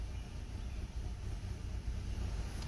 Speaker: So RPMs go up. Running a little rough now. Car is shaking. Got 101,000 miles. You can hear it in the exhaust. That's about to die.